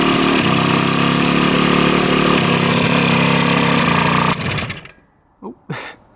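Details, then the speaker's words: 1970 Yamaha R5 350 two-stroke: loud raspy uneven running, then dying with sharp pops backfiring through the carburetor; heavy oil puking out, owner suspects crank seals are toast. "It's backfiring through the car a ton."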